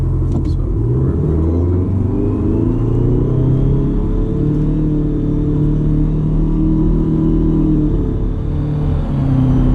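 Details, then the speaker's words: Detroit Diesel 4-53TIB turbo two-stroke at running temperature, thermostat open, driving with foot planted: deep even drone with faint rising turbo whistle; healthy under full load. "you can hear that turbo that's uh pretty well foot planted here she uh sinks man she really really really nice it hangs with traffic"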